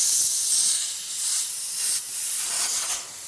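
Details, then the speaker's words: Truck after re-piping the differential lock air feed under the dashboard: loud, steady high-pitched hiss with no engine under it as an air line blew off a fitting not screwed down to crush the olive; air alarm triggered. "So, as you can see and here, air alarm popped off. And you know why? Because I've forgotten to tighten that."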